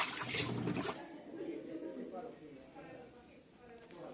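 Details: 18-lb Samsung washer in the wash cycle after fixing a strange wash noise by maintaining the transmission gears and calibrating the clutch lever screw: soft water sloshing and a quiet agitator, with no grinding or knocking.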